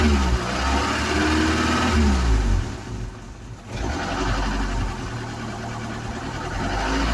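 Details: Ford Cortina with a freshly charged battery, being fed petrol during tinkering: revs rise and fall but the beat stays uneven and stumbling. Still lumpy running, cause unclear.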